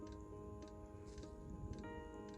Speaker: You can hear the gentle ticking of the supposedly ultra quiet fuel pump for the diesel heater, but you know what, it doesn't keep me up at night, and I am here.